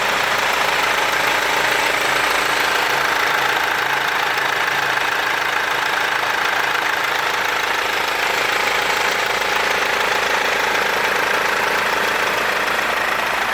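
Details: Mercedes W204 engine after timing chain replacement. Steady, even idle with light fast valvetrain and injector ticking and no chain rattle; normal idle.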